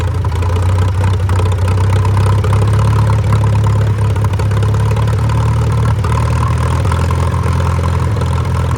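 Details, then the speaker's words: Farmall F-12 tractor on steel wheels, long-sitting auction find, points missing, wide open throttle: steady deep, somewhat uneven chug holding one speed and never picking up; won't rev, owner thinks it needs running and fuel work, unconfirmed. "Got our points missing out of this, too. out oil anywhere. It won't go any faster."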